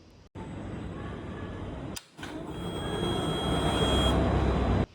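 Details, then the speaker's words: Fuel-injected motorcycle at key-on: a steady, even electric hum with a faint high whine lasting a few seconds; normal fuel pump priming hum as the pump builds line pressure. "की on करते ही हम sound आती है। वो होती है fuel pump की आवाज।"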